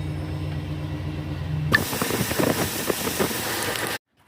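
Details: Chevy Silverado after replacing seized AC belt tensioner and reinstalling belts, idling after startup: even low engine hum, no squeal or chirp from belts; belt drive quiet and healthy.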